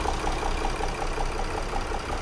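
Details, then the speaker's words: Skoda 3.6 V6 with jumped timing and misfiring on all cylinders, running unevenly. A light, even ticking rattle about five times a second comes from the timing chain, which has slightly damaged the cylinder head; the timing is being replaced. "Bo tak to będę gadał i będziemy oglądać ciemność nawet nierówno pracuje i słychać łańcuch"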